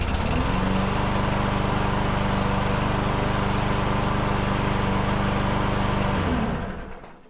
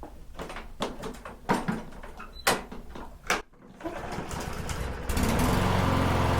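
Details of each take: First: Troy-Bilt TB110 push mower with Briggs & Stratton 550EX engine, restarted after fuel-system cleaning: steady even single-cylinder running with no surging, fires right up, auto choke working, then a clean wind-down; normal running. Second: Troy-Bilt TB110 push mower, Briggs & Stratton 550EX, wouldn't run after months of sitting. After the fuel system was cleaned, several pull-starts, then it catches into a steady but slow, lazy putter. Idle rpm is too low and needs adjusting.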